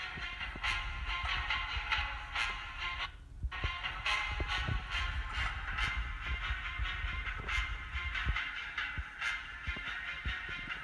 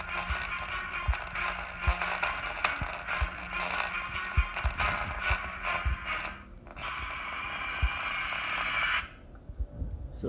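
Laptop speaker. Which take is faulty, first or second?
second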